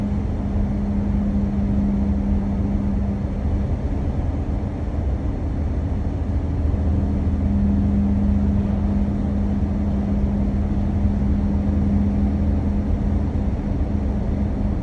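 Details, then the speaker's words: Car on Triangle PL-01/PL-02 tires at cruising speed: a steady low drone over road roar that starts at about 107–110 km/h and eases slightly slower or faster. No steering vibration; one or both tire sets suspected. "Но какая-то из этой резины или может быть две она ровно на где-то от 107 до 110 она начинает гудеть"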